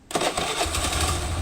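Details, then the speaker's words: Motorcycle that was hard or impossible to start in the morning, after new spark plug fitted: short starter whirr, then fires on first press and holds a quick even idle. "อ่ะก็ติดนะครับเช็คเดียวติดเลยนะผมหัวเทียนใหม่นะผม"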